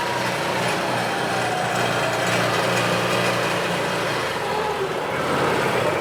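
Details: 2017 Odes side-by-side driving after the fix: the engine pulls evenly over road noise with no stumbling, popping or surging, because the gear position sensor no longer jumps to neutral or reverse and upsets the fuel enable.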